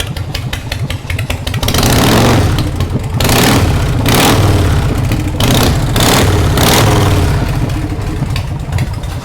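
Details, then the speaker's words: American Ironhorse Texas Chopper V-twin with automatic clutch, revived after sitting for years: sharp throttle blips with loose exhaust pulses, clutch grabbing as revs climb and spinning the rear tire; normal auto clutch engagement. "it's not a real jockey shift bike it's got an autoc clutch in it so when you come to a light you can put both feet down and then when you give it gas then the auto clutch kicks in makes the rear tire spin"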